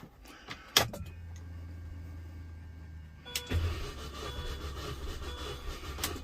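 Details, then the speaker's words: 2005 MINI Cooper compression test, all spark plugs removed, gauge on one cylinder, expected 150 psi: steady, even starter drone as the engine turns over, pressure building and holding, a good cylinder; normal cranking. "You can see how every time it pumps and cranks that the pressure goes up on it."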